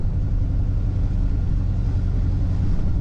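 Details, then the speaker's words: 1963 Chevrolet Nova 2-door hardtop, 350 V8 with Edelbrock intake, Holley carb, HEI ignition and headers: a deep, steady, even burble with no knocks, misses or surges, a normal idle. "HDI ignition. Headers. Good sounding engine."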